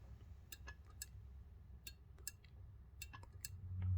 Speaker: And whenever the vacuum is pulled on the switch, more than 0.18 water column, then this will close. And I will show you how this closes and what it sounds like.